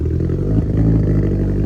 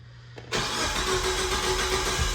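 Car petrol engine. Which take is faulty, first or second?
first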